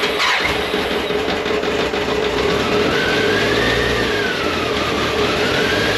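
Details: 1998 BMW K1100LT, about 83,000 miles, after fuel pump replacement and draining dirty, likely water-contaminated fuel tank: catches and runs steadily, pitch climbs and falls cleanly with each throttle blip, no stumbling; normal running.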